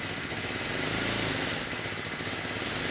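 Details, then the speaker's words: 1970 Honda E400 generator, not run in over a decade: rough uneven small-engine beat that hunts and never settles at steady speed, output only a few volts; dirty carburetor running it badly. "unfortunately the engine speed it's unstable the carburetor is not running the engine very well and I'm hoping that's why we'r"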